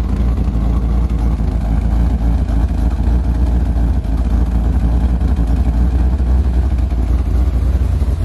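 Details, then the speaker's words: C4 Corvette idling after TPS adjustment (set to 5.4) and coolant temp sensor replacement, mild cam; deep, steady, slightly loping rumble that stays even and stable; idle now much better. "I think that might be a good idle for it I don't know let me close this down right quick and move it up but it really sounds like it's back at the right idem cuz I put it at 5.4 oh yeah this much better"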